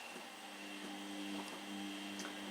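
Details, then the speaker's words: Soft steady hum with faint high whine, no rattle or grinding: Hotpoint Smart 8 kg washing machine after replacing its very noisy drain pump; new pump drains much faster and runs much quieter. "it drained a lot faster and it does appear to be much quieter too"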